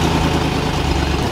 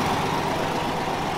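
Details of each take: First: Steady idle with a faint puffing tick riding each firing pulse, heard before lifting the vehicle to inspect; exhaust leak, whole exhaust system later repaired. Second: Engine idling after the leaking exhaust flange was repaired without a gasket: even, steady idle with no puffing, ticking or hissing. The exhaust is now sealed and runs quiet, with no leak.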